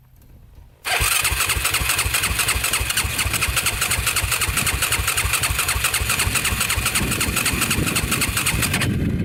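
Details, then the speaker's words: Yamaha YFZ450 quad that broke on its first ride: starter spins the engine at a steady fast chug for about nine seconds without firing; cranks but won't start, owner suspects no spark, possibly a disconnected spark plug wire. "It almost seems like it's not getting spark. Not good at all. Might have to take her home and check out the spark."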